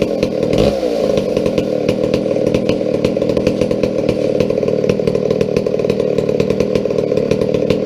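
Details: McCulloch 797 123 cc two-stroke chainsaw, sat unfired for years, fitted with a fuel system and filter: strong steady buzz holding high revs evenly without stumbling; runs cleanly and healthy.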